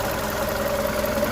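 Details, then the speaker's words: VW Golf Mk5 1.6 at idle after a misfire was fixed by new coil pack, HT leads and plugs and by sorting one cylinder's injector wiring: smooth, even idle with steady regular pulses, no stumble; all cylinders firing properly. "We had a misfire cylinder. We changed the AC leads, change the plugs, and we found that on this cylinder here in the injector that these wires miss. So, yeah, it seems to be running nicely now. Happy with that."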